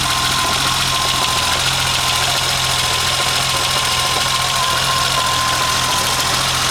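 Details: BMW 2002 with M20 2.7 engine at idle: faint, occasional uneven stumble under a busy, tappety top end; a slight misfire, cause not yet known.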